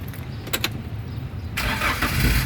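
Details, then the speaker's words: 2015 Daihatsu Gran Max 1.5 manual at about 103,000 km, started from the cabin in neutral: the engine catches at once with no hesitant cranking and settles into a steady low idle, a clean healthy start. "pada saat kita nyalakan mobil, pastikan bahwa nyalanya itu jreng."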